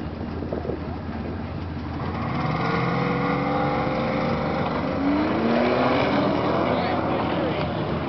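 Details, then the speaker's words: Engine revving up and settling, with a raspy puffing edge on the exhaust note as revs rise; a minor exhaust leak, expected to grow after this run. "Just a minor exhaust leak. Yeah, just a minor exhaust leak."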